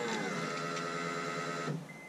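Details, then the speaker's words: Turbo Honda Accord, newly installed Walbro fuel pump at key-on before relay wiring: steady high electric whine under two seconds, then cuts off cleanly; much louder than the factory pump, priming normally. "that's definitely much louder than the factory pump let me do it one more time"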